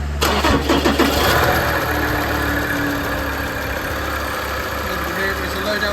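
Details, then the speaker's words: Ford Ranger 3.2 five-cylinder diesel automatic starts with a rough low rumbling clatter that fades within seconds into a steady idle. The A/C compressor later locked solid and snapped the auxiliary belt; a bearing, water pump or idler was first suspected. "so this Ford is sounding like something's failed by baring water pump idler something like that"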